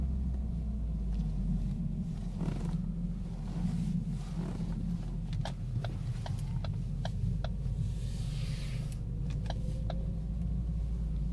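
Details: 2012 Ford Focus humming/whirring at city speeds, worse while slowing down and slightly worse when turning, on a smooth freshly paved lot; same noise with a second set of tires. Low droning hum in cabin, faint whir.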